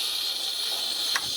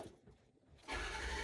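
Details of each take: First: 6.0 Powerstroke crank-no-start, not building high-pressure oil, engine off, valve cover removed, shop air applied to oil rail: steady sharp air hiss that changes as the suspect fitting is loosened; high-pressure oil leak at stand pipe O-ring. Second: Ford 6.0 Powerstroke diesel after fixing a high-pressure oil leak that caused a crank no-start with low ICP pressure: after a short silence it fires at once and settles into an even, steady idle with no misses.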